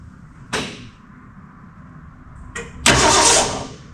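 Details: 1966 Ford Mustang six-cylinder barn find, unrun for 40 years, after starter solenoid replacement; short burst of starter cranking with no catch or firing, engine turns over but will not start; ether planned next.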